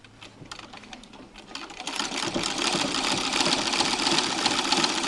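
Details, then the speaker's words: Treadle sewing machine after repacking the Pitman rod's top ball bearings with Vaseline: light, even ticking at about four beats a second, building as the treadle speeds up. Much quieter, no metal-on-metal noise; normal running. "so that's the noise of the machine much less noise overall repacking the ball bearings on the top of the Pitman rod"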